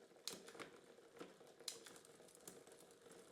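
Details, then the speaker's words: Bike with a Shimano Cues rear derailleur that had taken a knock, dry unoiled chain: irregular sharp clicks and rattles over a chain whir as the chain hunts between sprockets from wrong cable tension. "That's not happy where it is. It's trying to either go up or down. I think it's trying to go up."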